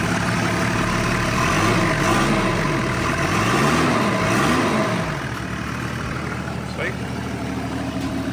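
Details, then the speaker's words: Toyota 105 series LandCruiser 1HZ diesel just fitted with a Kinugawa bolt-on turbo, exhaust not yet reattached: loud raw clatter and rumble at idle with no muffling; exhaust missing after the turbo. "So you can hear where the exhaust is missing, but in here we're looking"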